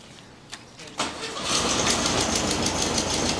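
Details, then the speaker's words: 1969 VW Beetle revived after 25+ years unrun, distributor rotor now installed: after a brief crank the flat-four fires straight away and settles into a steady, even clattery idle; starts right up, normal starting. "That's unreal, starts right up. So good."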